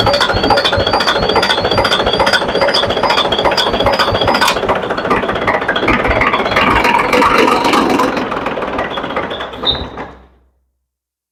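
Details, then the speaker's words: Volvo Penta TAD1241VE 12-litre 460 hp common-rail diesel in the workshop, oil level about double normal, after a sudden noise while running. It smokes, tries to start with rough, irregular knocking clatter, then sags and dies. Broken valve, stem snapped in half. "भाई यह देखा आपने smoke engine थोड़ा सा start होने का कोशिश किया लेकिन बंद हो गया और दूसरा भाई जो एक्चुअल में जो इंजन का आवाज है वो बिल्कुल ही सही नहीं है। बहुत ही बुरा आवाज कर रहा है भाई।"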